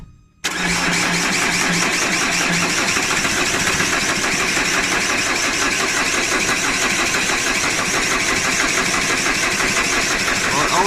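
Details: 2010 Vauxhall Insignia diesel that won't start: steady fast cranking that never catches or fires while the injector lines are cracked to bleed. Starved of fuel; the cause turned out to be a lazy fuel pump.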